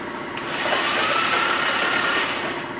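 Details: Nissan 350Z after repair of a hydrolocked engine, very loud exhaust: loud, fairly even idle with steady rumble and exhaust roar, no knocking or misfire stumble; engine runs healthy.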